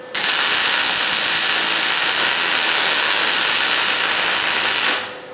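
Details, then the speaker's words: MIG welding cross rail (inner tail panel) on a 1972 Camaro: steady hissing arc crackle with occasional spitting and sputter, not welder settings but epoxy left on the back side contaminating the weld. "Every now and then you'll hear that welder cut up and spit and sputter just a little bit, carry on. And it's not that the welder's not tuned in right. What it is, there's a couple places on the back side that I removed the epoxy"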